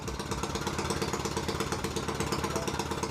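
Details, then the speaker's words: Harbor Freight Predator 212 engine swapped into a 2006 Yamaha YZ85 dirt bike, first run: revs fast and slightly irregular, hanging high and hunting down toward idle; high idle after first start, started first try. "yeah he's trying to idle down for sure all right oh yeah first try every time"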